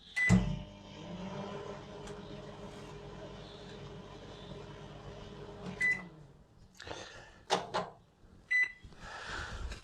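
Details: LG microwave brought in as faulty, tested after user error found: beep, then even low hum with fan whir for several seconds before stopping and door clunk; microwave runs normally.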